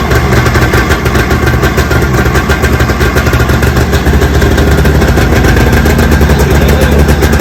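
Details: 45th anniversary Polaris 700X SE Deluxe snowmobile, sat a couple of years, revived with fresh fuel, plugs refitted and oil: loud, deep two-stroke burble holding a steady, even idle without stumbling; normal running.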